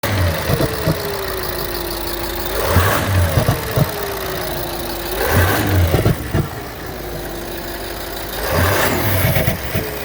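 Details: Audi SQ7 engine running with uneven low knocks about three per second and a recurring falling whistle; engine knock present, cause unclear.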